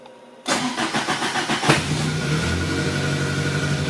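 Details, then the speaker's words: 1983 VW Rabbit GTI with a newly installed clutch and pressure plate: brief crank, catches within about a second and settles into a steady, even idle with no knocks or misses. Healthy. "yeah we're building oil pressure no banging and crashing sound that's a very good side"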